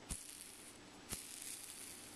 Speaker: now this is a older iio bearing that I have it's got 10 balls so one of these balls has a big old crack in it and you can actually hear it hopefully